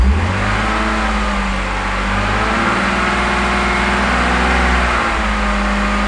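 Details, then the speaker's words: BMW E46 330i/325i, vacuum leak deliberately created, engine at raised RPM: rough, unsteady, wavering note as the engine misses; fuel trims rising over 20, heading for codes P0171/P0174; vacuum leak misfire. "causing a vacuum leak you can now hear that's a large vacuum leak the engine's missing"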